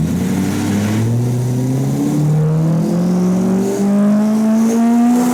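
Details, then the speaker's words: Turbocharged drift car on the dyno: engine note climbs under load with a faint uneven chatter. A helper suspects the boost controller frequency set in the Link ECU; it was changed to 20 Hz to test. Cause unconfirmed. "uh thinks that it's something to do with the frequency the boost controller is setting now because that requires us to just change something on the link we're going to start with that"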